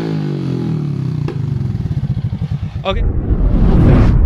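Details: Honda Supra X 125 motorcycle engine chugs unevenly, then stumbles and sputters (brebet) when revved, lacking power despite carburetor already cleaned and a part replaced; a valve noise is also present; cause not yet confirmed.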